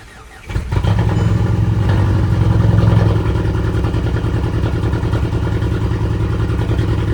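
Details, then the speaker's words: Rebuilt 2010 VW GTI engine, first start: fires first try, then lumpy uneven low idle with stumbling beat; misfire because a cylinder injector was unplugged, also oil leaking from turbo banjo bolt; ran much better once plugged in. "After the fact, we figured out the cylinder tube injector wasn't plugged in."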